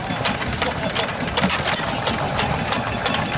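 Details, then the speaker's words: Antique stationary engine at the 2019 Georgian Bay Steam Show: steady, even single-cylinder popping over crowd chatter, no knocks or misses; sounds pretty healthy. "That's alright. Sounds pretty healthy."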